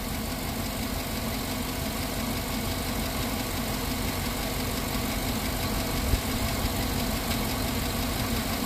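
Steady idle with a faint, irregular knock riding under the engine note; it persists after warm-up, cause not yet pinned down.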